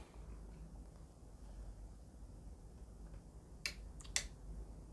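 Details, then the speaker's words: Faulty roller shutter garage door control unit under repair, on mains voltage and triggered by remote: two crisp relay clicks half a second apart over room hum, LED showing door open; relays switching normally. "i can hear relays clicking and this led indicates that the door is open"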